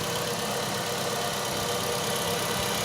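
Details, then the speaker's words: Ravon R3, 21,456 km, cold start at -8°C outdoors, morning, after removing and cleaning alternator belt and pulley grooves (embedded small stones) to cure morning whistle: smooth, even idle with no belt squeal or whistle; normal idle. "ну вот я уже все услышал свист и нет"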